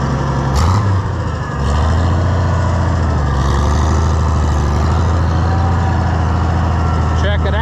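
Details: Oliver 1650 tractor engine after governor replacement and adjustment: steady low drone holding even with no hunting or surging; governor responds right away; engine has a slight tick, old governor pieces may remain in the pan.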